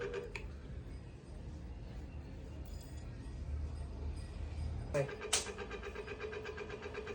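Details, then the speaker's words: Ceiling fan after replacing both worn bearings, winding checked OK, running at high speed with a steady, even hum and airflow, no grinding or rattle. "आपला fan चालू झालेला आहे. एकदम high speed मध्ये fan फिरत आहे"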